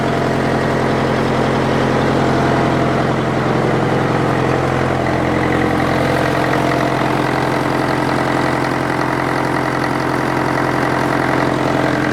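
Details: International Harvester 554 diesel tractor after about five years sitting, air filter cover off: steady, even idle with firm low beat and induction hiss; runs sweetly with little smoke, though owner suspects glazing; water pump belt loose, warming up.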